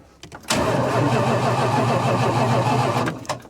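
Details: 1977 Dodge motor home with 440 engine, sat for years, first crank before adding fuel: even steady cranking for about two and a half seconds, turning over freely without catching; starter works fine.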